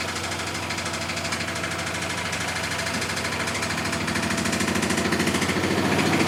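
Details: Miele Softtronic W6544 washing machine, drum loose and noisy (bearing damage questioned): heavy rhythmic knocking about three times a second, growing louder as the drum speeds up; broken drum spider (Trommelkreuz) lets the drum flop.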